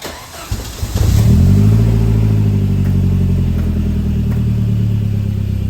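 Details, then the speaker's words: 1988 Saab 900 after sitting all summer, cold start just after the MAF sensor was cleaned: it catches, then idles low, uneven and stumbling, maybe slightly better. The cause is unclear; the car may need a few days to relearn. "It's not really any better. It's maybe a little bit better. One other thing I was recommended is that this might just take a couple days for the car to learn and kind of sort itself out."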